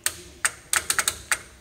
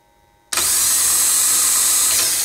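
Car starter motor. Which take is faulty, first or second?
first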